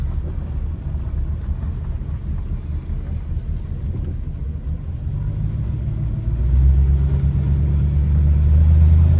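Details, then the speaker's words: BMW E30 M3 with S54 swap, MegaSquirt, cold start, idle valve about a quarter open, roughly 250–300 rpm. Deep, slow, lumpy burble with loping pulses; very low cold idle because cold engine needs more air. "cold start use a lot more air to idle that's why it's so low and uh barely idles when it's this cold"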